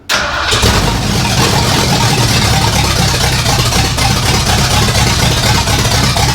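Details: 1964 Ford F100, no exhaust fitted, started after pumping the gas twice, alternator light on and not charging: the starter catches almost instantly, then a smooth, steady, loud run with no stumbling, a healthy start.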